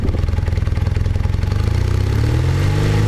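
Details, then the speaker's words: Cold 1978 Honda CB400T II twin with fabric-wrapped pod air filters: pops and stumbles unevenly at three to four beats a second, then struggles to rev, bogging under throttle as before; owner suspects too much air getting in. "Yeah, that's what it's been doing."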